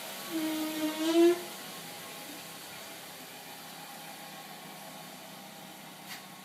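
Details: 2009 Mazda5 rear brakes after sitting overnight in a garage: a brief, wavering mid-pitched squeal, then faint hiss. Stock ATE OE pads absorb moisture after rain or humidity; premium ceramic pads such as Bendix CQ fix it.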